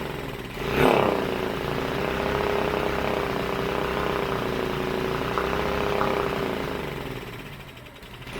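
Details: Briggs and Stratton factory mud motor being revived: the small single-cylinder idles unevenly with a wandering, hunting beat. Rough idle; it had been backfiring, though the lower end sounds good and forward and reverse work. Cause not confirmed.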